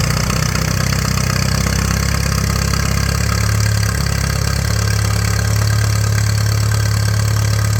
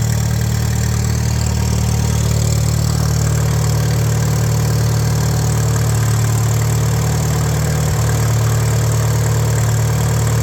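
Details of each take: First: 1941 Case SC tractor, first run in years: heavy, slow, lumpy idle about three beats a second, barely holding on; carburetor only halfway adjusted, idle set too low, fuel tank shaking loose. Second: 1941 Case SC tractor, run without coolant: slow steady low chug, even beat, no knocks or misses; carb still needs tuning, no fuel leaks, 30 lbs oil pressure, smooth healthy idle.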